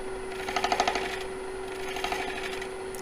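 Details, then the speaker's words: Wood lathe hollowing a bowl with a David Ellsworth bowl gouge: a quick run of light ticks under the cutting hiss, one each time the old chainsaw mark on the blank passes the tool. "to that little tick, tick, tick, tick, tick as the chainsaw cut goes by."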